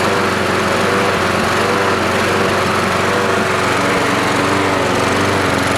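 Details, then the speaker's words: Troy-Bilt 12AV566N011 mower after float bowl and main jet cleaning: steady even buzz from single-cylinder engine, no surging, misses or hunting; normal running. "well it's run so good I decided to myself even an oil change"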